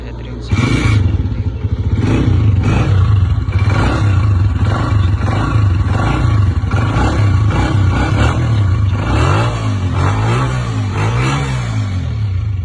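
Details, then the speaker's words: Honda 125cc new bike, started after repair for an engine noise with head refitted and gear oiled: even, regular single-cylinder idle beat with throttle blips, no tapping or knocking; runs clean. "अभी मैं आपको गाड़ी start करके दिखा रहा हूँ। देखो ये देखो भाई, ये हमारा गाड़ी स्टार्ट हो गया और अब इसका आप लोग चाबी सुनिए।"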